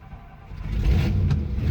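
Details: Carbureted engine heat-soaked, fuel boiled into intake making it rich; cranked with throttle held to the floor: cranking rumble swells then catches into steady, rising run, mixture clearing to normal idle.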